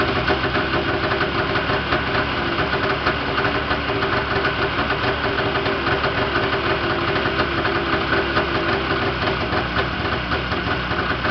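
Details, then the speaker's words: Yamaha Enticer 340 snowmobile first start after rebuild with new Wiseco pistons, rods, forged balanced crank, Wiseco bearings, Uni filter: continuous buzzy, smoky two-stroke idle, steady with no rattles or misfires; normal idle. "Holy shit, she's smoky, boys."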